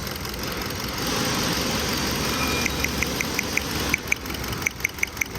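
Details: 2015 Kia Cerato with constant shaking: uneven petrol idle with sharp, regular ticks about five a second. Cylinder 4 is misfiring; the spark plug looked fine and a stuck-open injector was found.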